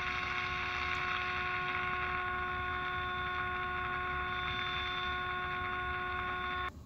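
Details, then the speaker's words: Sanyo 8C-028S transistor radio (rebranded Channel Master 6515) during alignment after recapping, adjusting A4 can: steady mains hum from room lights rides over the output and stops abruptly when the lights are switched off. "there we go and sometimes you gotta shut your lights off"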